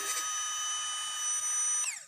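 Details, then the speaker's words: Kawasaki Ninja 250 fuel-injected, key on after repairing a no-fuel-from-injector fault. A steady high buzz lasts about two seconds, then winds down: the fuel pump now primes normally. "terus kemudian kita cek kita kontak dulu dan kita dengarkan dia sudah memompa apa belum ya"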